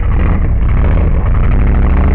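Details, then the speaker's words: 1998 Jeep Grand Cherokee ZJ, 5.2 L V8, under steady throttle: heavy, deep, loud rumble with a coarse blatty edge; muffler known to be shot and rattling when accelerating uphill, owner suspects an exhaust leak too. "It sounds like it's got an exhaust leak. I don't know. I know the muffler is bad. It might have an exhaust leak."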